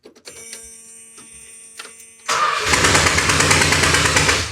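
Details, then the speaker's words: 1971 Chrysler New Yorker 440, parked 20+ years; cranks, then runs lumpy with a repeating stumble about three times a second; misfire from number one spark plug left out. "Maybe we should put the number one spark plug back in."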